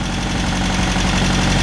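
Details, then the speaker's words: 1951 MG TD with dual carbs, at its first start in over 20 years: a steady, even four-cylinder idle with a smooth low hum and no knocks or misses, showing 40 psi oil pressure and little smoke. The engine is running healthy. "wow that that acts like that started yesterday well i know what we're doing tomorrow so much easier than i thought it would be i can't believe how well that thing fired up and it idled because this is dual carbs who knew not bad"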